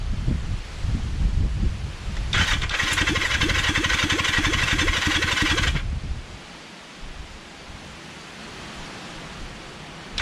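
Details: Kawasaki Zephyr 750 during restoration, carbs just refitted after an ignition fix, on choke: several seconds of steady, rhythmic starter cranking with no catch or firing, then it stops. Cranks but won't start because the tank has run out of fuel.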